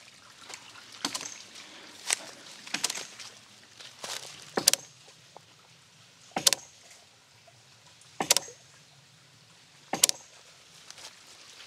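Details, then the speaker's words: One-inch ram pump running in a creek non-stop for three months, pressure tank totally waterlogged after its air bubble dissipated: sharp hard clicks roughly every two seconds, unevenly spaced, drive pipe hitting hard; fix is draining the tank through an installed valve. "it has finally become totally water logged and i can tell because of the sound it's making whenever it clicks and also the drive pipe starts hitting hard"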